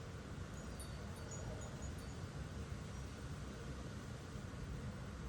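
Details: Portable Chinese diesel heater in an overland case, after shutdown with hot air still about 130 degrees: pump stopped, only a soft, steady, even fan whoosh as it runs its cooldown procedure; normal fan cooldown.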